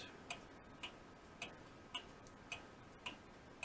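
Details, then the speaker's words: Restored Seth Thomas clock movement running after rebuilt winding arbor, count wheel and pivots, hanging out of its case with weight, no gong fitted: crisp even ticks just under two per second, in beat, normal. "you hear it ticking i just did the count no gong yet"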